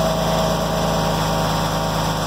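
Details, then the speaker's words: Lifted 2004 Jeep Grand Cherokee 4.0 inline-six, junk purchase: steady idle with a busy, rattly mechanical clatter; owner thinks it sounds like it has no oil, though oil is present and black. Abnormal engine noise, cause unconfirmed. "running good so to me sounds like it's got no oil not sound very good you don't sound too healthy boys the old indestructible 4.0"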